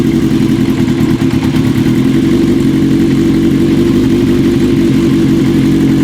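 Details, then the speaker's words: 1980 Kawasaki KZ750 cafe racer at idle: ragged, irregular, loping idle that never settles. Carb boots were softened with wintergreen, which helped a little, but air still leaks between a carb boot and the manifold, so new boots are needed. "so that's still leaking there huh all right folks so we tried the wintergreen the carp boots did soften up a lot it made it a little bit better unfortunately it didn't soften it up enough we're still having some leakage between the car boot and the manifold"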